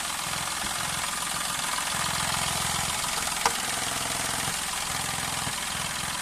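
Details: Daihatsu Move Custom (L175S) engine that the owner says is screaming: a fast, uneven rattling tick over a loud hiss while running. The abnormal engine noise is not diagnosed and the cause is unconfirmed.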